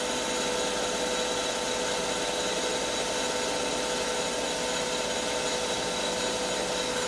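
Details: CBN insert turning a sintered tungsten carbide end mill shank on a lathe, feed 0.03 mm/rev, 0.05 mm depth of cut, first pass: even steady cutting hiss with thin steady tones, no chatter or squeal; clean smooth cut, good finish.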